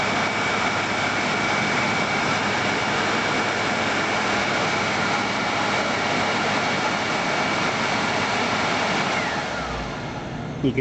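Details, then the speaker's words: World Model A hand dryer motor after repair: steady, even rushing blower whir with no rubbing or rattle, smooth spin-down, only very slight brush arcing; normal motor running. "see the very small amount of arcing on the motor brushes which is actually kind of rare to see really especially for a motor that's running"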